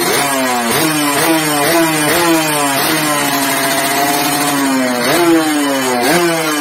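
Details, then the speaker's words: Yamaha RX King two-stroke (year stated as 2006, also as '94), sluggish from overly extreme porting, after re-boring and re-polishing the ports: repeated sharp blips, wail climbing and falling back cleanly, crisp response, no bogging or misfire; now runs smoothly. "Jadi ini dia Suaranya teman-teman setelah saya sopir tadi wow nyuruh ke Saya matikan Oke jadi seperti itu temen-temen kalau kita habis Premier boring kita poles ulang jadi dia lancar"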